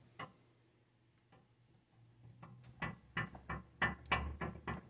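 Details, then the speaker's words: Front ball joint on a Lexus LX470/Toyota Land Cruiser, rocked by hand during front axle removal: loose clunks in uneven bursts, about three a second, showing heavy play; the ball joint is shot and needs replacing, axles also bad. "I if you can hear that but it's shot she needs ball joints"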